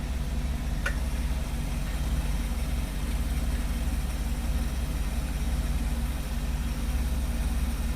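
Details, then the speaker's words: 1959 Ford F100, 302ci (5.0L) V8, 650cfm carburetor, C4 transmission: a smooth, steady, quiet low idle with an even rumble and no knocks, ticks or misses. Healthy engine. "oh she's nice and healthy dudes nice and healthy but he's giving me a hug if you're hearing that quiet smooth yeah there's no noise yeah whatsoever"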